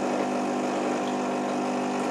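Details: Nivona NICR610 espresso machine from 2007, about 16 years old, brewing: loud harsh motor drone with rough groaning edge from a seized brew-unit gearbox needing regeneration.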